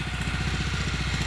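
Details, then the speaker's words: RATO 9.0 225 outboard on a 1973 Lund S-18 Resorter idling after a choke start, choke releasing: steady, even putter with a soft, regular pulse, lawnmower-level loudness, no knocks or misses; clean idle. "She started. Let the choke release. She's not real loud. It's about a lawnmower."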